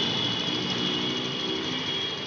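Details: 2021 TVS Jupiter BS6 fuel-injected scooter after loosening the RPM setting bolt to lower a high idle: low, steady idle with even hiss and faint high whine, no hunting; normal idle.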